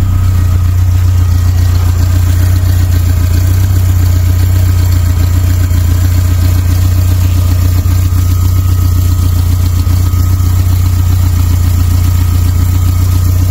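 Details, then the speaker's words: Suzuki Samurai with Holley Sniper EFI conversion and an external frame-mounted fuel pump, just started: thin constant whine holding pitch over steady idle; loud external fuel pump, owner suggests an in-tank pump would reduce the noise. "pump it's loud loud the thing in it I would put a throttle body style tank on this from a newer one of these and an intake pump would help with noise"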